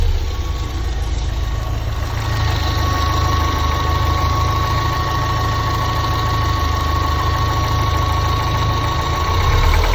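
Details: Lotus Elise S2 111S engine at idle: a steady whining note near one kilohertz over uneven knocking. The owner questions whether it is a failure; the cause can't be pinned down by ear.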